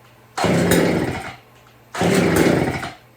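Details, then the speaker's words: Chainsaw revived with fresh gas, on choke with good compression: two short bursts of rough revving, each dying within about a second; fires but cannot hold throttle. "See what happens. Can't hold the throttle. We'll pull the choke. Ooh, definitely got compression."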